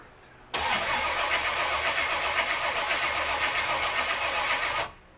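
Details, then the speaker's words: Supercharged small-block Chevy first start attempt: starter turns the engine over evenly about four seconds without a single firing; fuel present, no spark, so no start. "Why do we have no sparks? We have 0 ignitions, let's try her again. Nothing."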